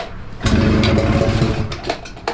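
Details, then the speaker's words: 1994 Ski-Doo Mach 1 670cc 125hp two-stroke go-kart: bursts up, runs rough, sags and cuts out in stutters; seems not to be picking up fuel since switching from gravity bottle feed, fuel pumps suspected, not confirmed. "it's like it's not picking up fuel or something yeah because we never had this problem when we were gravity bottle feeding it"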